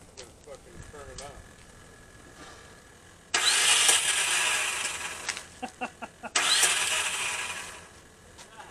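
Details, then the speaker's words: 2002 Ford F-350 7.3 Powerstroke after a coil-spring axle swap: two bursts of high, free-spinning whir and the engine never turns over. The two-bolt starter was mounted in the wrong holes and not engaging. "unfortunately this first time we went to start it put the starter on backwards it's a to bolt starter so I put it in the wrong holes and it was not engaging"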